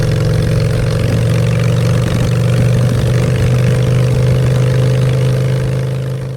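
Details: Honda Shadow V-twin after a custom makeover with custom exhaust, in neutral: a deep, steady thump at idle picks up cleanly on throttle with no misses or knocks. Normal idle and revs.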